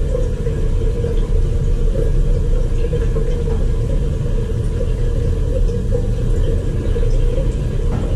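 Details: Crown hydronic boiler at high fire after purging air from zones, both thermostats calling, 20 psi: steady even roar with constant mid-pitch hum, no surging or popping; normal burner firing, though an air scoop is still needed.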